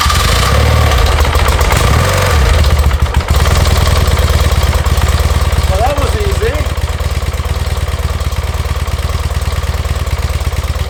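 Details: 1981 BMW R100RS with Krauser 4V head conversion and Bing carbs, starting after nearly a decade stored, fresh 93-octane fuel, new oil and brake fluid; cranks briefly then settles into even, lumpy twin idle, no knocks.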